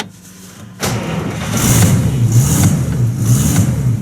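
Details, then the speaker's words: 1950 Buick Roadmaster straight-eight, converted to negative ground, solid-state ignition replacing points, new gas tank, cold start: a short crank, then it fires straight away into a steady, slightly fast idle, running cleanly; timing still to be checked. "yep there we go she is cold but uh obviously not running too bad yeah all right so uh i would call that a success"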